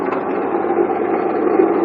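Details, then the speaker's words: 1997 Honda Accord idling: steady coarse rattling grind from the front, pulley side of the engine, traced to a bad water pump with bearings that probably went bad; water pump bearing failure. "Okay, we found what the problem is. The problem is the water pump. All that rattling and stuff you heard was the water pump. Bearings probably went bad, and that thing is just terrible, man. It sounds horrible."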